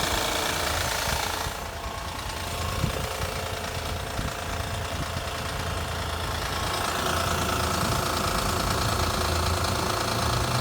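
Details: Cold engine started after sitting overnight in cold weather idles with a rough, steady knock of about three beats a second; the noise goes away once the engine warms up.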